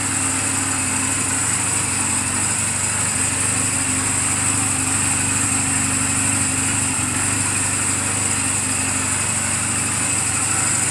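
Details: Reference sound of a healthy 2007 Honda Rebel 250 and its valves, idling in neutral just after an oil change and valve clearance adjustment; quick, regular, even patter with no knocks or misses. Mechanically sound, only cosmetic flaws. Normal idle.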